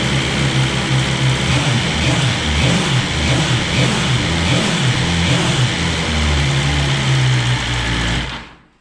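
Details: 2020 BMW S1000RR at its 600-mile first service, run briefly after an oil change with 4 quarts to cycle oil: smooth, steady idle with an even low thrum and no knocks or rattles before shutoff. Running normally.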